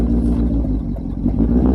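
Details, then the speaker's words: BMW 740iL V8 restarted after stalling for unknown reasons: uneven idle with a brief sag and wobble partway through, sounding about to stall again; rough idle, stumbling. "it sounds like it's gonna try and do it again i don't like that"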